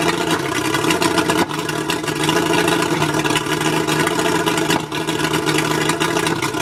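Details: Mercury 135 outboard misfiring at idle: uneven, lumpy beat with a couple of distinct stumbles where the note drops out. Spark plugs suspected, not confirmed.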